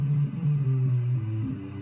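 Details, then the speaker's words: 1967 Elka Panther 100 germanium transistor organ, signal tapped from the preamplifier wire into an external amplifier during restoration: only low bass notes sound, no middle or upper range; only bass notes sound. "just on the base notes"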